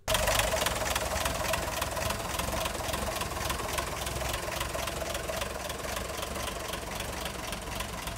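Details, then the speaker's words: 1958 Ford panel truck engine idling before valve adjustment: light, rapid clacking ticks at about 3.5 per second ride over the idle. One valve had far too much lash; afterward lash was set to about 0.019 in. "after running the engine for a while it was obvious that the valves needed some adjusting there was one that made quite a bit of noise"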